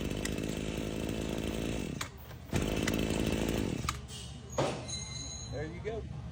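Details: Husqvarna 525L two-stroke trimmer, which previously stumbled and fell off high idle from a bad carburetor gasket, after replacing the gasket: buzzes steady and crisp in two bursts, then shuts down, with no stumbling or surging; running properly.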